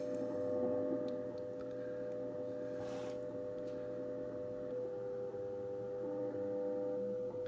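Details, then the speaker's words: Ten Tec Paragon 2 receiver on WWV 15 MHz, volume down: faint steady tones under hiss jumping in small pitch steps, roughly 100 Hz; owner suspects PLL noise or an audio ground loop, unconfirmed. "you could hear it still stepping in 10 kilohertz, or I'm sorry, probably like 100 hertz here. It almost sounds like I have an audio ground loop here or something."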